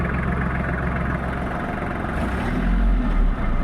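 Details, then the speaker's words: Kubota GL-23 mini tractor, three-cylinder diesel engine at 747 engine hours, described as in good, clean condition: a steady, even low diesel rumble at idle with no knocks or misses, a healthy idle. "состояние двигателя трёхцилиндровый дизельный двигатель хорошим чистом состоянии заведём так работает"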